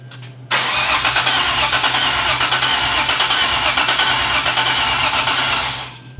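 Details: Nissan 370Z Nismo VQ after supercharger air-to-air conversion and timing and gallery gasket refresh; steady starter cranking about three turns per second for five seconds, no firing, priming oil before first start.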